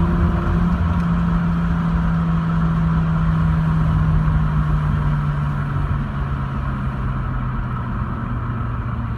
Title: Rx8 misfire